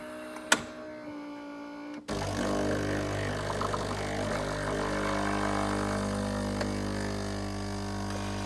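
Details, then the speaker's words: Philips EP4346/70 bean-to-cup coffee machine at startup heat-up: a click, then a steady low pump drone with a bubbling hiss over it; owner suspects it is linked to the weak coffee, unfixed after warranty repair; cause unclear. "hopefully you'll hear it as it heats up you'll hear like a a bubbling and a hissing like I say we haven't got a problem with the noise itself I just think the noise is related to the issue"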